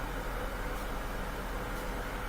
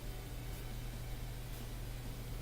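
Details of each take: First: Bosch washing machine in diagnostic test mode: steady rushing hiss of water filling through an open inlet valve, even flow with no chatter or buzz. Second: Bosch washing machine diagnostic test: energized dual cold-water prewash inlet valve gives a steady low electrical hum but no water flows; the valve likely needs replacing.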